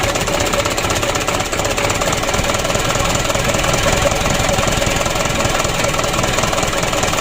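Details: Mitsubishi Canter 125 2007 diesel just rebuilt, first start: clattering idle with uneven shaky beat about four per second; idle set too low, runs rough, to be warmed up and raised slightly; a leak was then found.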